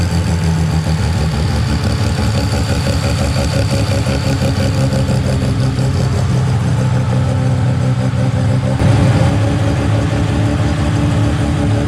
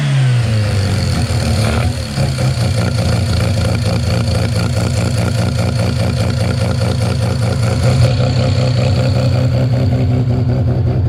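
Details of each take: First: Mazda 13B rotary on EMPI IDA carburetor, after replacing the fuel regulator that wasn't holding pressure: regulator set from about 2 to 3.5 PSI while running and holding steady; loud, choppy, steady idle without stumbling or hunting. Normal idle. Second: 13B rotary with EMPI IDA carb after roughly half-mm float adjustment (about 5.22): fires, stumbles and blubbers unevenly then smooths; still overfueling on startup, fuel dripping in, float set too high.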